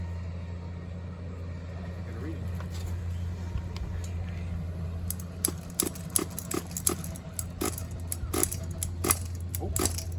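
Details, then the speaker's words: Team Associated MGT3.0 RC truck with a Hoban Mac 28 nitro engine, first run after an unknown long idle period: steady, low, buzzy drone at even pitch with scattered light ticks and clatter; running normally. "Listen to that motor. I don't know how long. I don't know how long it's been since it ran."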